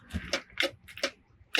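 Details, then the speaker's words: Yacht not started in 10 years, key turned with power jumped into an unpowered switch: fire safe box relay gives sharp uneven dry clicks, four in under two seconds, but still no display, no EVC panel light, no control; cause undiagnosed, parts possibly bad. "But I jump power into this other switch that doesn't have power. And now you can hear the fire safe box is clicking."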